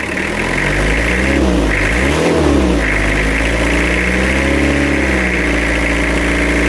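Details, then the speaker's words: Toyota Kijang diesel after engine rebuild with replaced AR-brand pistons, before AC fitted: smooth even idle, one clean throttle blip settling back, no tapping on lift-off and no air-filter chuffing as before. "suaranya halus sekarang ya. Kita gas. Enggak ada tak-taknya."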